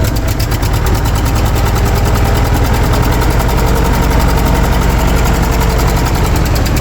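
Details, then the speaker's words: Early-to-mid-1980s Ford 302 small-block V8 on a cold start, choke held with a clothespin; slow, loose chuffing idle with an irregular puffing tick from a small exhaust leak, and the idle set a bit low. Engine smokes. "does have a little bit of an exhaust Leake there I have a new one these little clamps for it"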